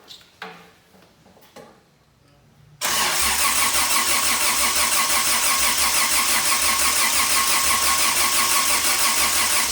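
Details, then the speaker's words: Toyota 2F engine after year-long full rebuild, start attempt with new carb and starter, spark confirmed: steady cranking about three beats a second without catching; engine flooded. "give it's probably flooded so we're just gonna hold the throttle wide open for now if that doesn't work in a few seconds we'll probably pull all the spark plugs out and just try to flush all the fuel"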